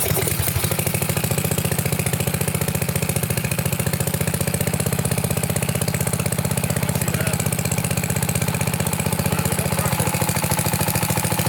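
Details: Sears Craftsman pressure washer, 6.5 hp Briggs OHV, water ejected from cylinder, started on choke at mid throttle on a temporary test fuel setup; small single catches and settles into a steady, even putter with no misses; normal running.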